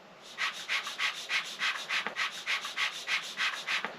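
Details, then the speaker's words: Stirlingkit model beam engine, air blown and sucked through the valve by mouth: airy shushing puffs about three per second; steam leaking straight through to exhaust, suspected faulty valve dimensions. "So you can hear straight away that the steam is leaking directly from here down to the exhaust pipe. You can hear it making a sort of shushing noise. So, um I think there's something wrong with the valve in the engine and maybe the dimensions of it."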